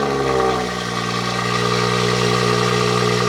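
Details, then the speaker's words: Abandoned BMW 340i at 80,001 miles with the downpipe and exhaust sections cut out and welded: raspy, very loud engine note with a strong steady drone as it revs; loud exhaust from removed sections. "And aside from the downpipe, here's why it's so loud. They chopped from here to there. W welds though, look at that. And that's why it sounds like an absolute beast."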